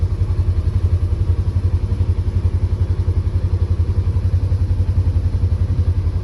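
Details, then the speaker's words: Polaris Ranger 900 XP side-by-side, previously hard to start with a loud motor noise, after repair and reassembly, in gear: deep even thump about three beats a second, no rattle or chain slap; smooth idle, sounds way better. "sounds good it sounds way better let's see what the temp's at"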